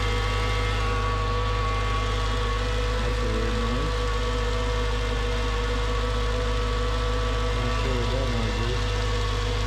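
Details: Mercedes CLS55 AMG M113K supercharged engine at idle, just after replacing worn squealing idler pulleys with billet upgrades, cold day after long sitting: loud steady droning whine that didn't fade when warm; not apparently from the pulleys, maybe the supercharger.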